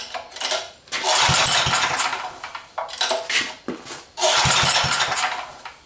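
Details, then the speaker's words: Small single-cylinder rototiller engine fitted to a mini four-wheeler: uneven surging with sharp pops and backfires between throttle bursts. Runs rough; a leaking gasket between carburetor and head is suspected, not confirmed. "yeah the car r doesn't work quite right and you hear it backfiring and all that stuff I think there's also a problem with the gask between the carburetor and the head but we got it running"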